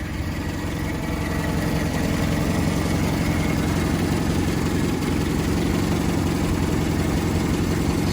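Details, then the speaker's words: 1991 Toyota Hilux YN80 pickup, 1.8L 2Y pushrod four-cylinder, warm engine: steady, even low idle with no knocks, misses or squeals over ten seconds; runs smoothly and sounds healthy. "there it is running running good power brakes that's about it no other unnecessary features nothing to break runs great"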